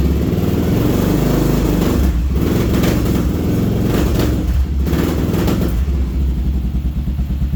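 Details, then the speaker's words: Kawasaki KLR650 single-cylinder after carb cleaning and parts install, choke off: steady thumping with rough pops on revving, backfiring out the exhaust; owner thinks it is starving for fuel when revved. "I think uh it's starving a little bit for fuel when you rev it but uh sounds pretty good you can hear right [Music] here yeah so it's backfiring a little bit out of that there"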